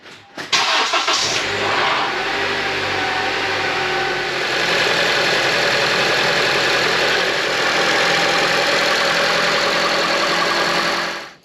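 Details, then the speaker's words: 2014 Honda CR-V 4-cylinder with brand-new VTC actuator, started after sitting 24 hours at 75°F: engine catches, then a loud loose metallic rattle over idle for several seconds; timing chain stretched from the bad VTC actuator left unfixed. "So it's warm enough, we didn't get a full-on, long, nasty actuator noise, but I'm sure you heard that loud rattling sound. So what's going on is the timing chain has stretched, and this car was purchased from a used car lot."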